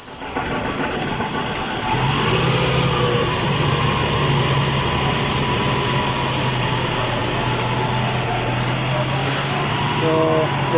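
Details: 2010 Toyota Camry after repairing a crank-no-start with no check engine light, once the missing 5-volt reference was restored: engine catches and settles into a steady, even idle with a smooth low hum, no misses or knocks; normal idle.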